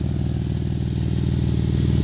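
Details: 2012 Jeep Wrangler 3.6 V6 VVT at idle: fast even puffing tick paced with firing; exhaust leaking at driver-side crossover pipe flange to intermediate pipe, separated with rotted bolts.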